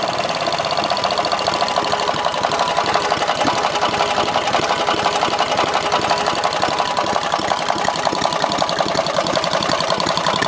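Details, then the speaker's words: 18 hp opposed-twin engine: fast, loose ticking knock through the idle, seeming to come from the rear of the block and not worsening with rpm; owner suspects rod knock or top-end bearing, unconfirmed. "so uh but anyway sounds like rod knocked me which i can probably fix but like i said it means i gotta tear the whole engine apart"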